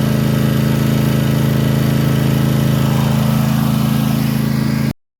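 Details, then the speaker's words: Toro TimeCutter mower with Kawasaki FR691V twin, warm: fast steady beat with uneven skipping, cutting out and popping; once warm it runs fine about 10 minutes, then starts misfiring; cause not found. "well if you heard there my um lawn more started uh kind of skipping cutting out popping uh misf um and it only does it once it's warmed up it once it gets warm it'll run fine for about 10 minutes and then it'll start doing that"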